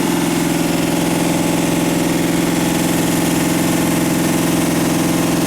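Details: Warmed-up 327 V8 idling at about 190–191 degrees with the thermostat open, steady, even idle with a smooth fast pulse and no knocks or ticks; driver's side valve cover leaking oil. Normal idle.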